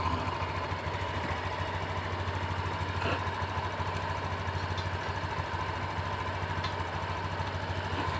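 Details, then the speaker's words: Honda Beat Deluxe scooter at idle, suspected sabotage; steady even beat about three pulses a second with no misfires, slight throttle delay normal for this economical model; normal idle. "ketika kondisi idleah seperti itu sudah enak sesuai normalnya bat deleluk karena motor ini terkenal irit jadi untuk digas Itu Memang agak delay sedikit"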